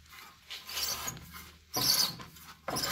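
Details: 1984 Mercedes 300SD W126 rear wheel turned by hand: gritty crunching grind swelling about once a second, first heard while riding around; failed rear wheel bearing, not the axle shafts rebuilt a couple of years ago.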